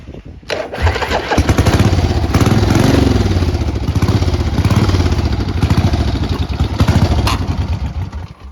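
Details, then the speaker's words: 1977 Harley-Davidson Ironhead Sportster 1000cc V-twin, 6502 miles, loose exhaust: low, loping thump that keeps swelling and sagging instead of settling to an even beat. It isn't ticking over, so it won't hold a steady idle. "It's not ticking over."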